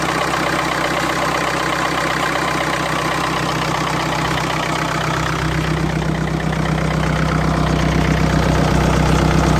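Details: 2012 BMW 525xd, N47 diesel, 221,000 km, before a full timing chain kit replacement. Steady idle with a rhythmic metallic rattle at two to three beats a second: a worn timing chain.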